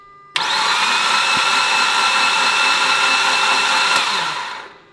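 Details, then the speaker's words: Mitsubishi Evo X during rebuild, cranking with spark plugs out to build oil pressure before first start; steady even starter whir with no compression pulses, engine free spinning; normal for no-compression cranking. "why does it not sound normal because there's no spark plugs there's no compression we're just free spinning the motor"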